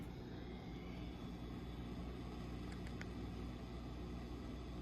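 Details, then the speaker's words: Ampeg V4B tube bass amp, owner-reported 60-cycle hum, after a bias set of the 7027 power tubes: steady hiss and faint hum with crackling frying-egg sizzle. It disappears when V3 is pulled, and failing V3 plate resistors are suspected. "There's a little bit of a frying egg sound happening."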